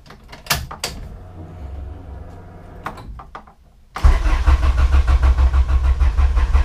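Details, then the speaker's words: 1998-spec Integra Type R Honda B-series VTEC engine after valve stem seal and lost motion assembly replacement: starter cranks evenly about three turns a second, never fires; crank no start, no spark because distributor left unplugged. "know why it's not starting guess what I forgot to plug in my dizzy Wow rookie mistake so be sure to plug in your dizzy so you don't end up like me trying to start your car with no spark"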